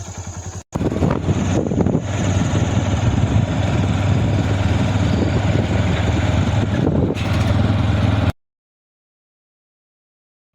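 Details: Honda Dream Neo motorcycle engine after a full engine rebuild with the crankshaft cleaned: a steady, even single-cylinder thump at idle with no knock or chain rattle, then a clean cutoff. The customer says it runs fine.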